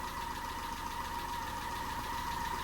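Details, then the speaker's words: Peugeot 207 engine idling while warming up after a snapped timing belt, head gasket rebuild and new timing belt; quick regular ticking clatter, a bit knocky, owner suspects tappets need more adjustment; prior sound unknown. "but I do feel that it's a bit knocky but I don't know what it was like"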